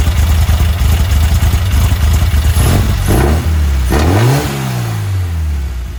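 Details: Herthing with a Weber 44 IDF carburetor, after going up from 135 to 152, not yet road-tested under load: holds a low steady idle, then revs rise and fall smoothly with no stumble or popping, a clean and even response.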